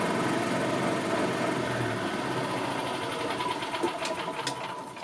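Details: 2000 Yamaha G16 gas golf cart, sitting since 2013 with a flat battery: light, quick single-cylinder chatter holding steady speed, then easing off; normal running while the charging system is tested and charges at roughly 15 volts.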